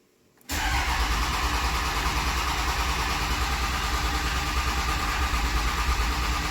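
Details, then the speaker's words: Cummins diesel with 48RE transmission after retightening hand-tight injector tubes and changing the fuel filter, fuel system primed: fires right up to an even steady idle clatter, sounds smoother, no obvious stumble; normal idle. "I don't see anything. Sounds like it's idling smoother."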